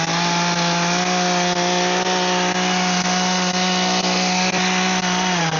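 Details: Echo hedge trimmer, 2-stroke, after repair: steady high buzz under cutting load on bushes with small regular dips as blades bite; running properly.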